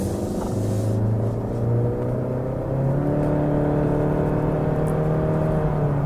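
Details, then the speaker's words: 2018 Honda Accord Touring, turbo direct-injection engine, automatic: engine note climbs smoothly under acceleration with a mild gravelly grumble; a bit noisy, normal for a direct-injection turbo engine. "a little noisy on acceleration kind of grumbly kind of sounding a lot of direct injection engines are like that now"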